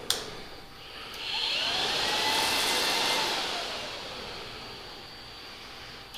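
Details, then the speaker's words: 2009–2014 Yamaha R1, diagnostic mode item 51 radiator fan motor relay, engine off: relay click, then a smooth airy whoosh that spins up, holds steady and eases off; fan relay and fan working normally. "number 51 is the radiator fan motor relay that's actually going to actuate the fan"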